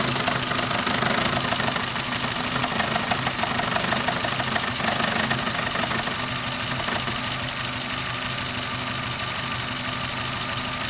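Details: Suzuki Ignis M13A engine at idle: light, fairly quick ticking knock about three per second over a steady idle, not rising with load; an internal knock of unknown origin.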